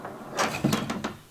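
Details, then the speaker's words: Skoolie bus plumbing: tank fill valve turned open quickly off shore-line pressure gives a quick cluster of hollow knocks and bangs in the pipes; water hammer, so open valves slowly. "hear that that's water hammer you don't want that"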